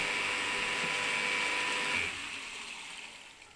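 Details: Steady high whine for about two seconds, then it cuts off and winds down, from a Salamander water pump motor after rewiring to capacitor start. It runs normally, and the owner suspects a sensor stops it with no water.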